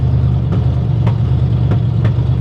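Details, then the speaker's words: 1960 Chevy Biscayne V8 just got running: deep uneven idle with sharp pops about every half second, sounds bad, cause not yet found. "somehow some way we got it running uh but it's popping sounds bad huh sounds bad way bad"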